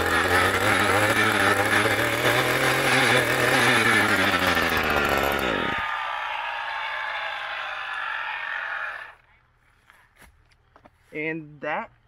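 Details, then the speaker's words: Echo GT200R string trimmer two-stroke just restrung, on new VP Racing fuel after slow start: high buzz held steady at full throttle, then winds down cleanly on release; runs strong and even, strings stayed in. "was a success that is the first time the strings actually never shot out i am quite happy this thing is a trooper runs great it did take a bit to fire up"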